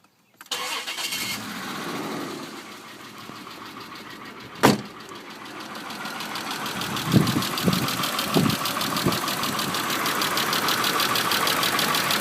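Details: 1995 Isuzu Rodeo 3.2L V6 cranking, starting and idling rough, then revved with some gas; scattered dull knocks grow as revs climb. The unknown knocking noise in the engine is not yet diagnosed.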